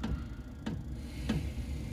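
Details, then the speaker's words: Newly installed diesel heater in a Foxbox: a crisp single tick about every 0.6 seconds over a low fan hum as the fuel pump starts and heating begins; normal operation. "the next stage will hear you'll probably hear the fuel pump working next there's a fuel pump starting go now as you can see she's starting the heat designated now"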